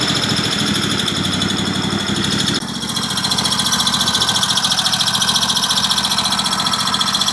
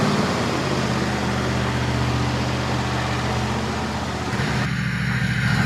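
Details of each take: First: Cub Cadet LTX 1050 with Kohler Courage 22 hp V-twin, hot engine: high thin squeal over the steady idle, briefly changing pitch before shutdown, from inside the engine; found to be a rocker arm running dry. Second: Cub Cadet LTX 1050 with a Kohler Courage 22 hp V-twin, first start after resealing the sump and refilling oil for a squeak: a steady, even beat and firm rumble with no squeak or tick. Normal running.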